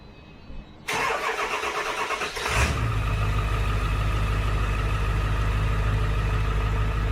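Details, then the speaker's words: Ford F350 after oil pan replacement: a quick crank that catches at once and settles into a smooth, even idle with no knocks or ticks; normal start and idle. The muffler still needs replacing. "well there we go looks good that's the runner for a little bit make sure everything's all good and stuff keep an eye on it for a little bit but yeah it's all put together running good sounds good"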